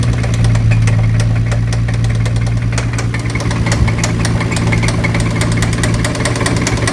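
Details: Nissan 350z V6 at steady idle with a sharp irregular ticking knock about twice a second; suspected spun bottom-end bearing, not confirmed.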